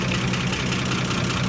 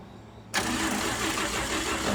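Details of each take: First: 1955 Chevy Bel Air inline six after a tune-up; steady, even low rumble with a smooth rhythm and no misfires or knocks, so it idles cleanly. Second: 1955 Chevy Bel Air inline six after a tune-up: about three seconds of steady fast cranking whir, engine never catches, then abrupt cutoff, so the starter is overworked and burning out.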